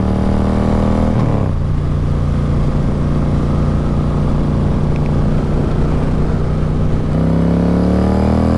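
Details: Harley Road King with a different air cleaner, on its first ride: deep, even V-twin rumble pulling cleanly through a gear change on the road. No knocks or rattles; healthy engine.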